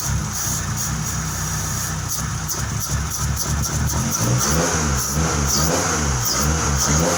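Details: 1997 Honda, which died while driving and wouldn't start, now restarted: engine catches and runs steady, then blips through a few even revs with no misses or knocks; sounds healthy.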